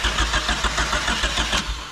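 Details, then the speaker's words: Turbo-converted Honda Civic, first start after the turbo install, cranked extra to prime turbo oil: steady chug-chug cranking, about seven beats a second, sagging without catching; no start, battery dying is suspected. "oh the battery's starting to die why isn't she starting bud"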